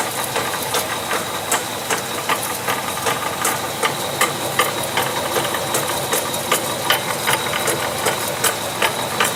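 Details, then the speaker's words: Honda CR-V with both front wheels off and the transmission in Drive: sharp metallic knocks two to three a second at wheel speed, carried along the driveshaft and appearing under load. First thought to be the CV joint; found to be the automatic transmission differential. "мы уже примерно поняли до 100 стучит впереди внутренняя граната теперь посмотрите как стук передается по кардану"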